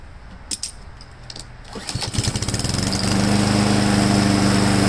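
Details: Husqvarna mower after installing a modified replacement carburetor, restart following an earlier sputter: a few cord pulls, catches and settles into a steady, even drone with no sputter or hunting; running smoothly.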